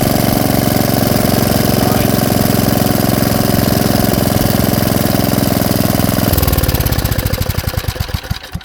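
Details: Tecumseh engine on Ariens Jet rototiller after low-speed idle screw turned fully in then out one turn: small single holds a steady, even idle without hunting or stalling, then winds down cleanly at shutoff.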